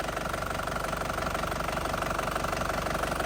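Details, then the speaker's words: 2010 Panther Grand Touring diesel at warm idle: crisp, even clatter, no shaking or stumbling, no smoke from oil cap or dipstick; engine very stable and healthy. "Mesin sama sekali tanpa goyang, masih stabil banget. Masih stabil banget tanpa goyang ya, bos-bosku semua."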